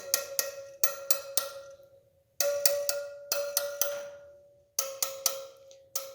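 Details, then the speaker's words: Yamaha TW200 wheel spokes tapped with a spoke wrench from the valve stem: clear pings, later taps duller and lower, meaning a loose spoke to tighten about a quarter turn; loose spoke. "hear how that one isn't as high pitched. So we'll take our spoke wrench, we'll go over that just a little bit."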